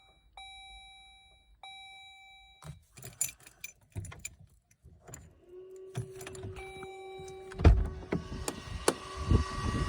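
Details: 2012 Jeep Grand Cherokee 3.6 on key turn after the push button was reinstalled: two warning chimes, key rattling, then a steady electrical buzz and no engine catching; won't start.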